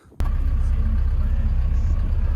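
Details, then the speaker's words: Diesel plant machine in cold weather, after fuel filter change and bleeding (engine only run 5 minutes, oil not hot), fires instantly into a steady, even low rumble with no stumble or misfire; clean, healthy start. "Well, it fired straight up, which is really good."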